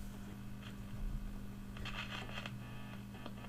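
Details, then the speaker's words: 1953 Vidor CN426 Henley AC/battery valve portable radio after a faulty valve socket was fixed and a 3V4 valve replaced: steady low speaker hum with faint crackle and hiss, no station received; cause not confirmed, local oscillator to be checked. "Now this was running at about eight watts before with that faulty socket and we didn't have that amount of noise from the speaker."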